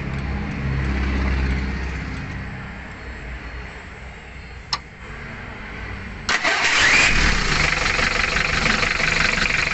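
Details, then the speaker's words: Mitsubishi L300 diesel after replacing rocker arm bushings, valve adjustment, injector nozzle resetting, oil and filter change: starts, catches and settles into a steady, even, smooth idle, formerly rough, limping, vibrating and weak. "kondisi mesin sangat garing dan halus ya tentunya lebih bertenaga"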